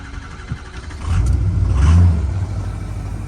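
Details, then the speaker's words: 2016 Ford F350 6.7 Powerstroke diesel showing 259 on the odometer, started after sitting a while on new batteries. It cranks and catches into a rough idle with a chuffing puff from a big exhaust leak up front. It has oil pressure and isn't very smoky. "You could hear just a big exhaust leak up there. But overall, it sounds decent."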